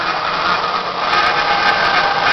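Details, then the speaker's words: Spiral planer head knife grinding, with the motor running and the head lowered slowly until the wheel just touches the knife for a very light cut: a steady mid-pitched hiss and whir. Grinding wheel contacting the planer knife. "once we hear that making noise we can very slowly and carefully continuing to put tension on it grind the knife going nice and slow"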